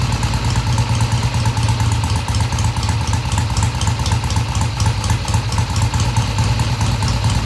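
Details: 1971 Triumph T120 650cc twin after carb tweaks of about an eighth turn: even idle with a regular low thump and no hesitation or misfire; comes off idle smoothly and revs through mid-range; normal idle.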